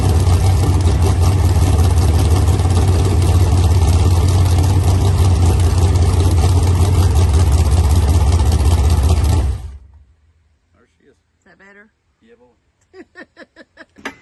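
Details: Freshly built 383 V8 for a 1970 Camaro on an engine stand, first firing after a missing plug was sorted: deep, even rumble holds steady about nine seconds, then shuts down cleanly; firing and running properly.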